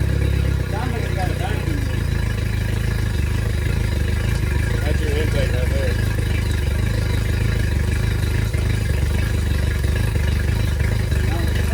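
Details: Yamaha T50TLRD 50 hp outboard after head decking and a new head gasket restored compression, at a low, steady idle with an occasional stumble in the beat; cylinder misfire.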